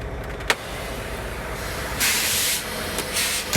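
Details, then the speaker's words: Semi trailer at a truck stop as trailer brakes are set: two loud bursts of sharp air hiss while the trailer suspension dumps and slouches, plus creaking. "Listen to this hissing and watch the trailer dump."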